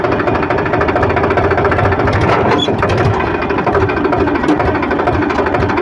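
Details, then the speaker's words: Powertrac 42 Plus Loadmax (44 HP) tractor, noisy in every gear except fourth: shifted into third and clutch released, a heavy rough grinding clatter runs steadily over the diesel; the cause is a broken gearbox countershaft bearing. "तो आपने देखा कि हमने तीसरे gear में shift किया और shift करने के बाद कितनी आवाज़ आ रही है। जैसे ही हम ट्रैक्टर को चलाने के लिए क्लच छोड़ते हैं, एक बहुत तेज घर्षण की आवाज आती है।"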